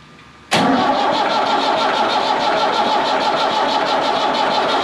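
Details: Ford 5600 tractor diesel after removing and reinstalling the leaking injection pump, bleeding air and cracking injector lines: catches at once, even steady clatter, no knocks or misses, no leaks; sounds as before, injection timing about right.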